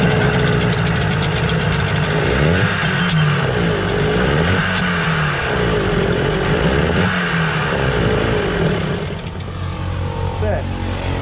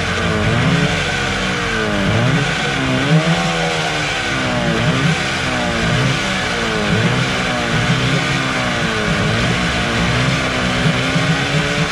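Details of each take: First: Suzuki 15 HP outboard, hard to start: runs with uneven pulsing beat and won't pick up at full throttle; dirty carburettor, carburettor removal planned, water ingress not yet ruled out; no throttle response. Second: Suzuki 15 HP outboard that was hard to start, after its dirty carburetor was cleaned: revs up and settles back repeatedly, picking up cleanly each time with even firing and no misses; runs normally.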